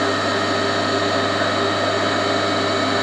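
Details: Old induction motor on a machine bought for restoration, first test run as it came, crudely wired: loud, steady mains hum with a low buzz and even whir; runs smoothly, and the centrifugal switch clunks back in on stopping.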